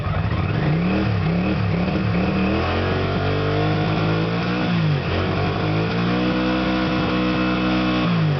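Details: Engine that stalls when the throttle is opened slowly, tested with a substitute SDI ignition unit plugged in. It revs up and drops back cleanly several times with no stumble or misfire. The wiring and connector are fine; the original SDI unit is faulty.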